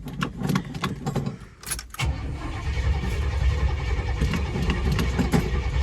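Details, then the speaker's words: LS-based Vortec 5.3 V8 in a 2002 Chevy Silverado, total cold start after sitting for months: keys rattle, it catches at once and settles into a steady, even idle with no knocks. Slight smoke at startup, owner suspects valve guide seals. "There we go. Sounds pretty good. I get a little bit of smoke at startup, but I think that's that typical Chevy valve guide seals or whatever."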